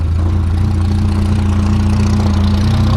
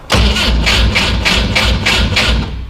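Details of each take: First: 1973 Volvo 142 SCCA race car, built four-cylinder, after warm-up: deep steady lopey idle with even beat, no knocks or misses; sounds healthy. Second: 1973 Volvo 142 SCCA race car with side exhaust, fuel pump on, cranked on a weak borrowed battery. Even starter cranking at about three turns a second with no catch or firing. Cranks but won't start; insufficient battery power.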